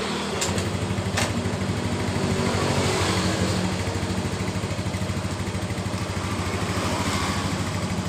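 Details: Mio M3 scooter, which had hard starting and stumbling on pull-away, idling after carb-cleaner cleaning of the injector: steady even low putter with no misfires or stumbles; fuel pressure 40, normal.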